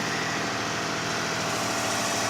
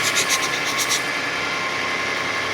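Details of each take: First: 2005 Kia Sedona 3.5L V6, 116,000 miles, after new timing belt, tensioners, idler, water pump and harmonic balancer, no accessory belts fitted: smooth, quiet cold-start idle with no ticking or knocking. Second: 2005 Kia Sedona 3.5L V6, 116,000 miles, on high idle about a minute into warm-up after new timing belt, tensioners, idler, water pump and harmonic balancer: quiet at start, then a thin, high-pitched rhythmic chatter of about four beats a second appears; cause unidentified.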